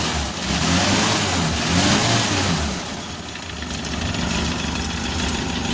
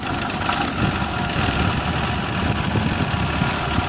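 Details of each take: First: Suzuki Carry 1.0 petrol engine at idle after teardown and timing cover bearing repair: now smooth, even low hum with no knocking, unlike the rough diesel-like clatter before repair. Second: Suzuki Carry 1.0 at idle: rough, diesel-like sound with rapid klotok clattering knock, first suspected as an engine fault; traced to the timing belt cover rattling where it meets the cylinder head.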